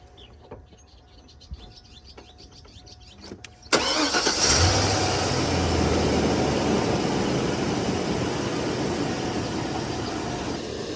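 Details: Car started with a 6250A portable jump starter clamped to the battery: a few quiet clicks, then a quick crank that catches at once into a steady even idle; normal start.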